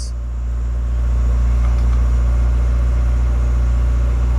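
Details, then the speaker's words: Honda Civic after main relay replacement, first start after sitting: engine cranks right over and settles into a smooth, steady low idle with even firing. Normal running; main relay fault likely fixed. "crank right over so good chance it was that main relay problem solved at least for now"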